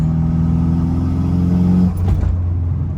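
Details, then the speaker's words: Nissan S13 with SR20, warmed up, after new plugs: rough uneven stumbling pull under load then lift-off, running worse than before; misfire under boost, owner suspects boost leak. "All right, it's running even worse than before. And yep, this is pretty bad."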